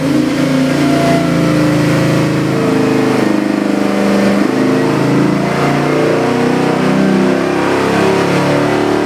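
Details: Chevy LS7 441ci crate V8 on dyno (Dart SHP block, forged Eagle rotating assembly, Comp custom cam, Holley Sniper EFI, Terminator X, ~700hp/650lb-ft): loud even running, smooth strong pull through revs, no knocks; healthy.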